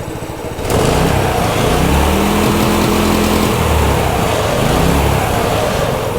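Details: Brand-new Harbor Freight Predator 212 engine on a homemade 'Franken Stool' build, cold-blooded and taking a couple of minutes to start: single cylinder catches and settles into a steady, even putter, pitch lifting smoothly with throttle blips. It runs healthy.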